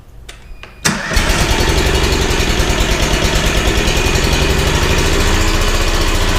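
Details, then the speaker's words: Bandit SG-40 stump grinder engine, refilled after taking a lot of oil: catches and runs with a coarse, heavy knock about three times a second at idle; owners suspect a thrown rod or a hole in the block, unconfirmed. "Yeah, might have a hole in the block."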